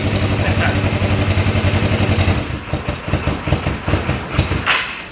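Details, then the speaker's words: Old project motorcycle, fuel of unknown age and smoky: it runs steadily, then its pulses turn ragged and it sags, unable to hold idle. The owner plans fresh fuel, water and oil; the cause is not confirmed. "doesn't want to sit there and idle"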